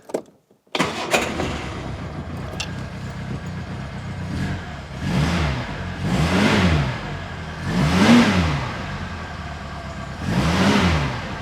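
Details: Reliant Fox after exhaust repair, air filter refitted: catches after a short crank, settles, then revs cleanly up and down several times with no misses or knocks; normal start and healthy running.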